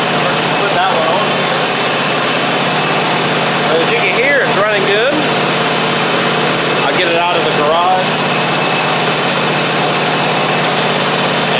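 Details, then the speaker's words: Troy-Bilt zero-turn mower, Kohler 24 hp 7000 series, after fixing fuel delivery and a wrong carburetor gasket: steady, even idle with no misses or surging, outdoor chirping; runs normally after repair. "Test it out here. Sounds good."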